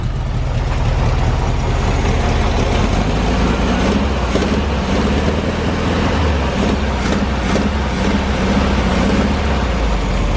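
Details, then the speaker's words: VW Bus first start, idling smoothly about 4 minutes: loud, deep, raw burble with little damping from an old, gutted, blown-out muffler; fuel pump or line also leaking (fire risk), new exhaust on hand. "This muffler is kind of whack. It's an old empty muffler, and it's all blown out."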